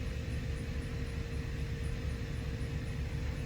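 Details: Jaguar X350 XJR supercharged, at idle after clearing air suspension leak fault codes: a steady mid-pitched air suspension pump drone keeps running over the idle rumble with no change in ride level, suggesting an air leak.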